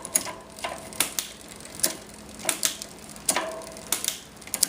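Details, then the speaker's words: SRAM X5 rear derailleur on a Mongoose bike after tightening the barrel adjuster: crisp single clicks about once a second as the chain shifts back out, with no grinding. "okay now let's see if it will shift back out I'm not hearing any noise as I shift"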